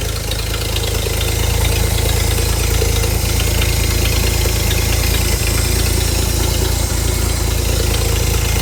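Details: Hobart APU cart with a Ford inline six, sat 8+ years, after a new fuel line was run: a steady, even low rumble with no misses, knocks or surging, running normally.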